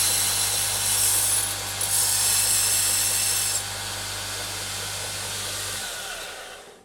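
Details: Homemade belt grinder running. Steady motor hum under an even belt hiss for several seconds, then a smooth wind-down; it runs normally.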